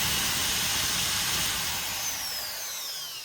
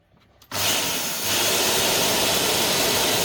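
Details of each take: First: Repaired multi-purpose grinder that would not run, after wires were measured and it was mounted on a four-leg jig: steady high-pitched motor whine, even and smooth, easing off as it slows; runs continuously, normal running. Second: Multipurpose blender motor powered directly on the bench: a high whir spins up, winds down and dies, then kicks back on. It must be turned by hand to run and stops at certain rotor positions, pointing to dead commutator segments.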